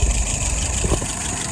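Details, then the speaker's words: 1948 flathead V8 running a restored WO carburetor at idle about 675 rpm, fuel pressure 2.75, vacuum 23; dwell reading off due to a bad connection, but engine runs good; low steady even rumble, no knocks or misses. "I know she's running good."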